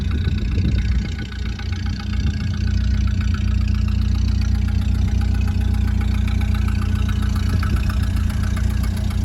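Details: 1929 Ford Model A coupe idling: slow, loping idle with a sharp, even puffing tick on every firing pulse from an exhaust leak that is due to be repaired.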